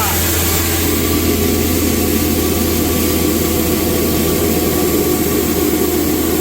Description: This video demonstrates a grain mill (crinder) grinding grain into a fine, uniform feed.